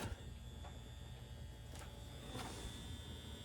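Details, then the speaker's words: 1993 Saab 900 being revived, at key-on: only faint steady buzz up front and no pump hum from the rear; fuel pump not priming; a starter wire was found disconnected from its connector. "do i even hear the fuel pump going in the back no"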